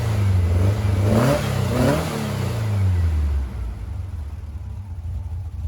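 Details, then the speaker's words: 1956 VW Beetle flat-four with CIP1 40mm IDF/HPMX replacement carbs, after fixing a fuel-dumping carb, linkage not yet synced: revs then settles into an even steady beat with no misfire, now firing on all four cylinders with both carbs working. "well it's amazing what a difference two functioning carburetors make and four cylinders versus two cylinders so this actually the best the cars ran in a little bit"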